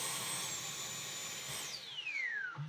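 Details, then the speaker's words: Dyson V12 Detect Slim Absolute cordless vacuum, heavily clogged, after emptying dust: high motor whine holds steady then sweeps down and dies; motor keeps cutting out, owner suspects filter, cause unconfirmed. "Still still cutting out. Oh, now it's it's died."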